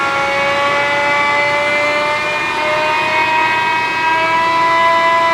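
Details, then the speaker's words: John Deere Green F12 090 hydraulic motor on bench after teardown and reassembly, no load, run one direction before switching: even steady whine with pitch creeping up, no squeal, knock or grinding; motor healthy. "No noise that direction. We're going to switch directions."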